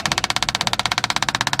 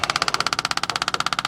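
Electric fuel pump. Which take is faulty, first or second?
second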